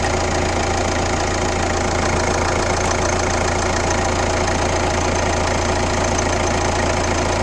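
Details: Kia Ceed 1.6 CRDi D4FB diesel, 115 km, idling: steady rapid clatter about three beats a second over the normal rumble; abnormal engine noise, cause not confirmed.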